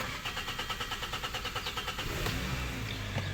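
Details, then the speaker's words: 2013 Hyundai Sonata 2.4L GDI with suspected high-pressure fuel pump fault: starter churns about two seconds before the engine catches, every time; extended cranking before start, car also feels down on power. "hyundai sonata here today and we got a problem with the cranking it's got a really long crank before it starts"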